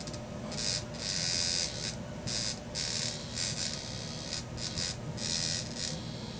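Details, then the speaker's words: Vibrator in a 1961 Monitoradio MC-160 single-channel receiver: a sharp, high buzz in short bursts with sparking, running only while the reed mechanism is nudged with a chopstick. Finding: vibrator buzzing intermittently. "really a balancing act to get one of these vibrators going correctly because everything"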